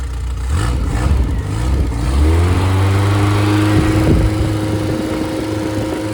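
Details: Freshly rebuilt MG Midget/Triumph Spitfire 1500 engine with double timing chain, double valve springs, compression 178–186 and about 9.1–9.2:1 ratio: fires after a short churn and settles into a smooth, even idle with no tapping; good oil pressure. Normal running.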